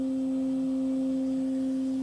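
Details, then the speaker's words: 6040 CNC, 1,500 W water-cooled spindle, first low-speed spin with paper tape on spindle: steady even low hum with faint higher note, no wobble or roughness, far quieter than routers or air-cooled spindles; running slowly and smoothly. "boy is that quiet I am so used to routers and loud air-cooled spindles that that is really quiet and of course we're not going very fast here"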